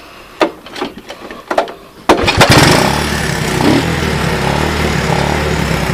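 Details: Honda ATC185 three-wheeler, eBay right-angle air filter installed: a few pulls, then the single fires and settles into an even run, picking up cleanly on light throttle; smooth acceleration, healthy response.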